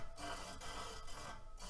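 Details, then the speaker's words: ICAN Aero 40 carbon rear wheel spinning in a truing stand with the pointer just touching the rim: a light scraping rub that swells and fades around each revolution, so the rim is slightly out of true, typical for carbon rims. "changes a little so right away you know it's not a perfectly true otherwise we hear exactly the same sound all the way around"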